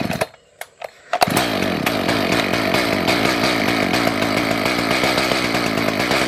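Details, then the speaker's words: Echo CS 590 chainsaw that wouldn't start, with choke, fuel and compression, after premix poured in: a few weak pulls, then it catches and revs unevenly, surging and stumbling as if fuel-starved; owner suspects fuel delivery or a bad carburetor. "I think we got a fuel problem. Let me try adjusting the carburetor and see."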